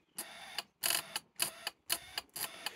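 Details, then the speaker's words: Yamaha SR125 after three years off the road, using its old charged battery on jump leads: sharp clicks in short bursts about twice a second, with the starter not turning the engine. "that's an unhappy noise and it means not quite"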